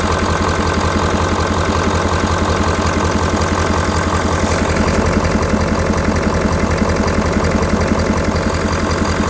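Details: 2019 Ford F250 6.7L Powerstroke diesel, hot, idling just after an EGR cooler upgrade, outdoors in wind: an even clatter at about two beats per second with no misses or knocks. No coolant leaks, nothing abnormal heard, so the idle is normal.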